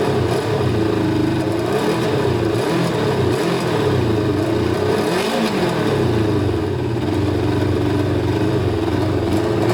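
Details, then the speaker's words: Kawasaki ZL600 with three air holes drilled in each carb intake and air filter removed: revs rise and fall unevenly without a clean steady beat; needed choke to start, owner thinks it's too much air and lean. "So it now liked to choke again to start, so 3 holes seems to be too much air, but I also took the actual air filter out, so I probably have gone too far with 3 holes."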